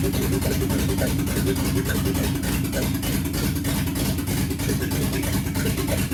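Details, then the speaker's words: 1969 Ford Mustang 302 small-block V8 on first start after restoration, possibly flooded, timing off: deep rumble with an uneven, lumpy idle; owner thinks it is missing two cylinders, with the timing way up. "yeah I think we're missing a couple cylinders oh my God it's started there we go woo it sounds like a good Rumble up I think I'm just missing"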